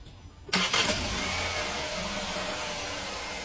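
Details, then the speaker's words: Fiat Argo 2020 with a brief rattle at startup and camshaft position sensor fault, after fitting a new timing chain kit: quick crank, fires at once, smooth even idle; rattle near the variable valve timing pulley is gone. "Perfeito. O barulho simplesmente desapareceu. Dessa região aqui do barulho, exatamente na parte onde é a folia variável."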